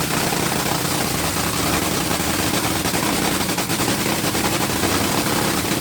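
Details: Rebuilt Top Fuel supercharged dragster engine after switching from alcohol to nitromethane: a harsh, crackling, fast-firing rumble holding steady. It is idling cleanly on nitro.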